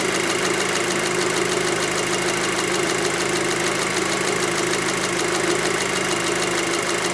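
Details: 2006 VW Passat 2.0T with no-power complaint and P0190 fuel rail pressure sensor code, warm idle: steady, even idle with light, fast ticking on top from the high-pressure fuel pump; normal idle.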